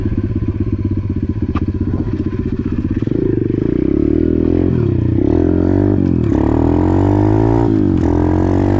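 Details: Apollo RFZ X18 125cc pit bike just after fitting a new PE22 22 mm carburetor: even thumping idle about four beats a second, then crisp revs picking up and dropping back cleanly; healthy running, ran great after carb upgrade.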